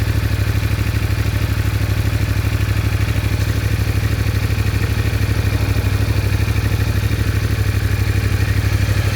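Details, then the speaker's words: CFMOTO Ibex 450 single after TEAM MSC ECU tune, which fixed surging and jerking at 3,500–5,500 rpm, riding: engine pulses beat at an even rate with no surging or stumbling through the midrange. "Well, that's definitely a lot smoother. Hold it steady in the bike."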